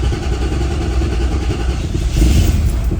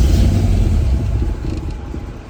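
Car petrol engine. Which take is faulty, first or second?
second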